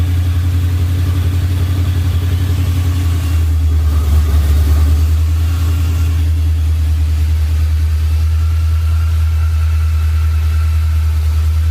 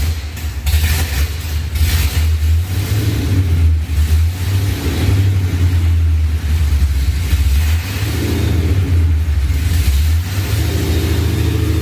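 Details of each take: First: Ford SVT Lightning V8 with 3.4L Whipple, forged block, and new Trick Flow heads and bigger cam, just restarted after the rebuild. Deep, choppy, lumpy idle that swells and settles, a rough idle attributed to the new heads and bigger cam. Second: Ford SVT Lightning V8 with 3.4L Whipple, Trick Flow heads, forged block and cam. Deep loping V8 blipped up and back down, lumpy beat at low revs from the cam, otherwise running clean and sounding good.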